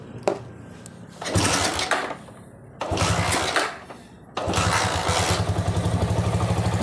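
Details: Honda Megapro single that lost spark and died after 50–100 m, tested with its original CDI (broken wire suspected): two cranking bursts, catches on the third try, settles to a steady even idle; CDI still works; normal start and idle.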